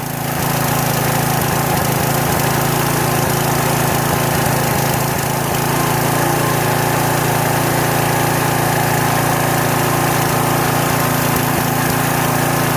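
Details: Troy-Bilt pressure washer small single-cylinder engine running for the first time in 4 years, only fresh gas added: steady, even, fast run with only an occasional faint miss. Normal running.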